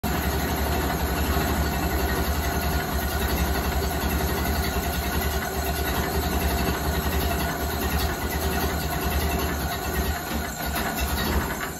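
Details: 1929 Ford Model A engine idling steady and even, speed not rising as fuel runs out, then fading; mixture not rich.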